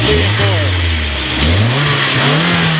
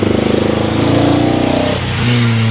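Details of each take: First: 1990 Nissan 240SX after fixing faulty injector wiring/plugs that caused bogging: several clean revs climbing and dropping smoothly without stumble, miss or knock; engine healthy. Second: 1990 Nissan 240SX with a faulty set of injector wires/plugs: lumpy, uneven throb like a motorcycle that stumbles as it revs; definite misfire from faulty injector wiring.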